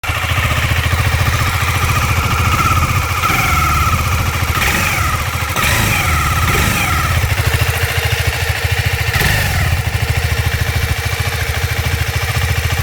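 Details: KTM 390 Adventure single-cylinder idling after valve lash adjustment: steady whir over the thump, unchanged with speed; cam chain whirring caused by an overtightened cam chain tensioner.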